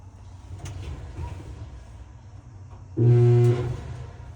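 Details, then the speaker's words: GE dryer motor gives a loud steady hum for about half a second but never spins up; the motor is stuck, either something caught in the blower wheel or a bad motor. "Hear that hum? That's the sound of a motor that is stuck. Something is either in the blower wheel, or you could have a bad motor. So that's one way a motor can go bad, when you hear that humming sound."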